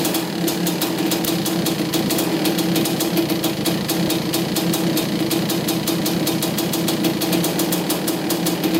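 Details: 1985 Honda CR250 two-stroke after carb needle clip moved up to third position: crisp crackle with evenly spaced firing and clean quick revs, no bogging or misses; running pretty good.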